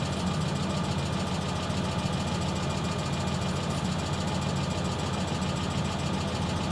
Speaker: yeah that's a funny clicking